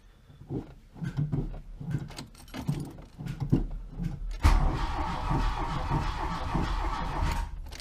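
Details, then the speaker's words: Mk1 VW Rabbit first crank after reassembly with new timing belt and tensioner: slow uneven cranking, about one pulse a second, no firing; no spark because distributor was left unplugged. "It's probably having... Well, either your timing's off or the spark's off. Kind of sounds like it's not getting spark."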